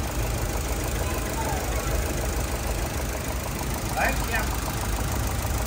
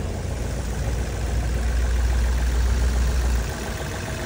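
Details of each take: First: 2012 Chevrolet Cruze LTZ at 229,000 km, brought in for engine knock, after engine work, another spark plug tried: an uneven, shaky idle with a loping, stumbling beat under the engine hum, running unevenly. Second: 2012 Chevrolet Cruze LTZ after repair: steady, even low idle with no knocks or ticks; earlier rough running and stalling traced to a dead sensor that set no fault code; engine now runs without jumping.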